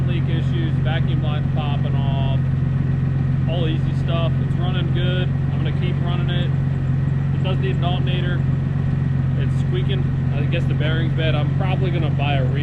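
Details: 1990 Jeep Comanche 4.0 L six, four-wheel drive, after cylinder head swap: steady idle with chirpy squeak coming and going, likely alternator though source unconfirmed.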